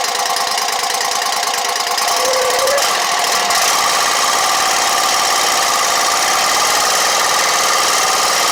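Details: Exmark Lazer Z 72-inch commercial mower, after fixing its no-start condition: the engine keeps running on its own at a steady, even speed with no stumbling or dying out once fuel refills the carburetor.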